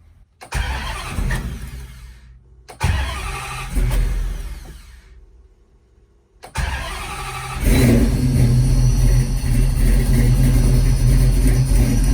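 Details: 1970 Dodge Challenger with swapped Gen 3 5.7 Hemi, Holley Terminator X ECU, long-tube headers and dual Flowmaster mufflers, first start-up cold: two short cranks, then fires and settles into a deep, steady V8 idle on its own with good oil pressure.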